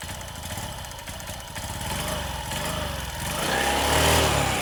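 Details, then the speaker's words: Honda Beat scooter after fitting a new CVT drive belt, tested with cover off; runs smooth and revs cleanly with no belt whine, which would signal a loose belt: normal CVT running. "oke teman-teman ya nampak suaranya halus ya halus dan digas enggak bunyi Wing gitu"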